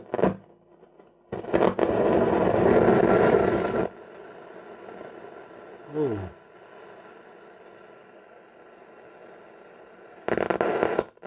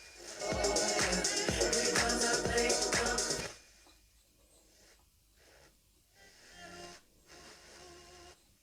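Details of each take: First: Telefunken Opus 8 tube radio slowly powered up to about 200 volts, drawing 200–250 mA: bursts of harsh crackle and static over a faint hum from the speaker, caused by very dirty band switch contacts. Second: Telefunken Opus 8 tube radio during a quick repair, on FM with a mini-whip antenna: clear, steady music with a strong beat and no hiss or crackle; FM works really well.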